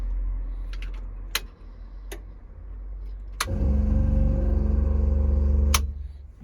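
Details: Green Mk2 Ford Escort with no battery fitted, run from a jump pack: a few sharp clicks, then a sluggish, labouring crank of about four turns a second that never catches; owner suspects the jump pack lacks power, not confirmed.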